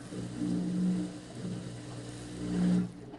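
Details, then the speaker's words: Washer with a no-water-entering complaint, draining during a small-load spin-and-drain test cycle: steady low pump hum swelling and fading as water moves, no grinding or rattle. Normal pump-out, water drained. "pump out sounds normal water's drained out"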